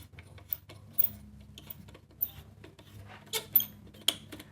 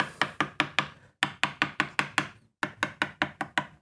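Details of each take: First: Mid-1970s Greco PB750N P bass from Matsumoku, about 50 years old: scattered sharp, dry squeaks and creaks as the tuners turn during string removal, from corrosion under the mechanisms. The tuners are to be cleaned and lubricated. Squeaky corroded tuning machine. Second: Mid-1970s Greco PB750N P Bass (Matsumoku-made), long unplayed: taps across each fret ring crisp and clean with steady pitch, no dull thunk or pitch drop, so no lifted frets; normal fret ring.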